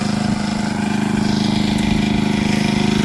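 Small engine holds a steady, even chug with a constant pitch and no misses or knocks; the generator is running fine under load.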